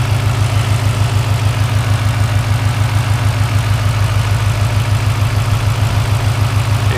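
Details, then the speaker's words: Turbocharged car (60mm turbo kit, 5.5 lbs boost, custom tune) at idle with a steady low knock about three times a second, also heard through the exhaust; owner suspects something loose or an exhaust leak, unknown. "So I'm thinking maybe something's loose back in there. I don't know, it just doesn't sound good."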